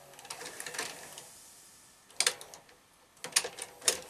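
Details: Panasonic NV-SV121 S-VHS deck after repair of its loading problem: short bursts of light clicks and whirring as the mechanism cycles cleanly, no grinding; normal tape eject.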